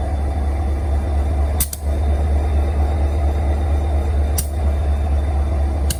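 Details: Union Pacific SD40-2C diesel locomotive idling: deep steady rumble broken by three sharp, irregularly spaced pops in six seconds; cause of popping unclear.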